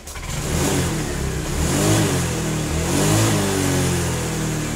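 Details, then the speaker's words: Honda Vario fuel-injected scooter (125/150/160) being repaired for slow, delayed throttle response: after the fix, pitch climbs and falls smoothly with each throttle blip, no stumble or hesitation; engine speed now follows the throttle in rhythm. "so for the engine rotation with this gas it has to be in rhythm, yes and in this section it also increases, well this increases in"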